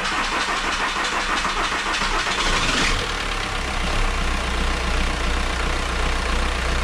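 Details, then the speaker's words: Skoda Octavia 1.9 TDI diesel after injection pump replacement, weak battery jumped from a Peugeot 206 on second try: slow uneven starter churn drags a few seconds before it catches and settles to steady idle. "avec une batterie faible, c'est jamais évident de s'en sortir."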